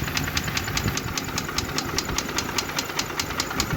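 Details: Mercedes G-Class (Gelik) M104 3.2 petrol, 220 hp, idling with no compression and a burnt-through piston in cylinder one, melted catalytic converter: sharp steady knock in time with rotation, engine shaking.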